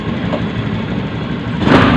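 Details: Honda Beat FI ESP scooter with a hot-stalling complaint, after repairs and fresh AHM engine oil: even, settled idle with a brief rise in revs near the end; smooth and running normally.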